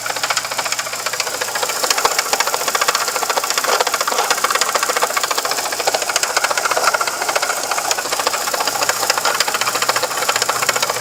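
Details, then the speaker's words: VW Gol engine with a fast, steady metallic rasp and ticking, about three or four per second, that sounds internal but comes from the worn water pump circulating engine coolant. "galera bomba d'água circulação da água do motor o barulho do motor dá impressão que pode ser uma coisa interna"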